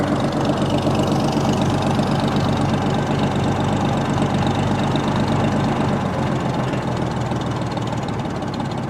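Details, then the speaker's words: 1937 Oliver Hart-Parr 70 tractor, about 23–25 psi oil pressure: slow loping beat of about four firing pulses a second, even with no knock; healthy low idle. "Nice low idle for you."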